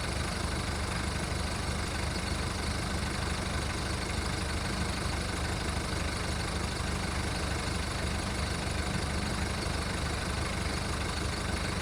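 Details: VW Golf Mk1 1.9 turbo diesel idling cold after five months of winter storage: diesel clatter with an uneven, shaky rhythm under a steady hiss, running rough while warming up.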